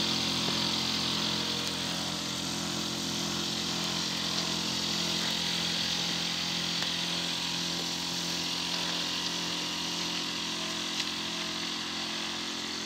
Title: Le bruit de ma pompe à chaleur fait le 3 janvier 2019